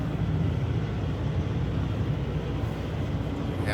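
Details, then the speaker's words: Running truck after replacing broken trailer lift-axle air line: steady diesel rumble with no hiss, where hissing was heard before the repair; line connected, holding air pressure, no leak. "now we don't hit it's all good and new um everything is connected good the air pressure is inside the"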